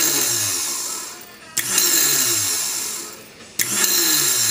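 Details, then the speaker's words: Tecumseh Snow-King electric starter tested after cleaning: motor whirs in roughly two-second bursts, each ending with a sharp clack as the drive snaps back; engages and releases normally. "That's how it should work, just like that."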